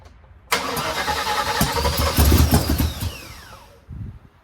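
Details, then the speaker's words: 1979 Malibu first start after cam and heads swap, automatic choke: engine catches roughly while cranking with uneven loud pops and coughs through the carburetor and won't settle; they think the ignition timing is off. "See, now it's acting like the timing is off. Because it's starting to pop through the carburetor. Usually when it pops through the carburetor, the timing is off."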